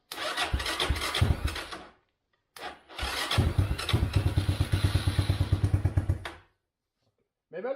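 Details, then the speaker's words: Chinese ATV standing over six years, with homemade main wiring harness, started without starter fluid: starter cranks, engine catches and runs unevenly with rough popping idle before stopping; fires on its own. "Oh, more than 6 years of standing, and it just fires up."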